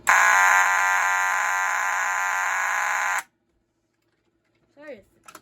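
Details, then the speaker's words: Home fire alarm after rewiring, wiring mistake found and corrected: harsh, buzzy continuous alarm tone for about three seconds then cut off; works but sounds bad, owner suspects not enough power; weak distorted tone. "Sorry it sounds bad. I don't think there's enough power on this, but it works, I guess."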